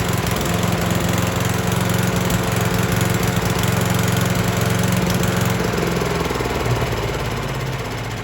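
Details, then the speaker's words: Troy-Bilt chipper/shredder that arrived not running, just refuelled and started on choke: small engine runs smooth and steady, settling to a lower even note as the choke comes off; running healthy. "tell you what that is hard to beat right there. One pull. One pull did it."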